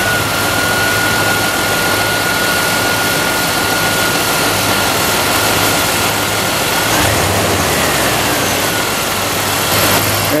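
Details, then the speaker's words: Used salvage-yard power steering pump fitted after two remanufactured Cardone pumps whined, the first after a month and the second from new. The engine idles steadily with an even hum and no bearing noise, grinding or growl. Normal pump operation. "we go that was supposed to sound like no bearing noise at all"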